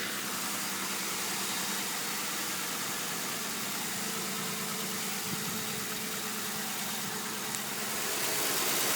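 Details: Ford Crown Victoria Police Interceptor (CVPI) V8 at idle: light, fairly regular ticking about three per second over a steady idle; source not pinned down, cause suspected, not confirmed.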